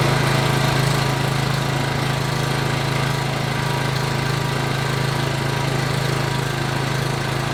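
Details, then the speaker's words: PowerBoss 5500 W generator with Briggs & Stratton 9.5 hp OHV, rebuilt from parts, plug cleaned and gapped 0.030 in: steady smooth governed drone without surging or misfires, running well until fuel ran out and it was shut off. "okay she's running good she's running out of gas so i shut it off"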